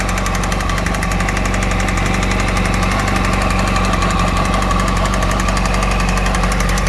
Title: Yamaha YZF R1 RN19 2008 Engine Knocking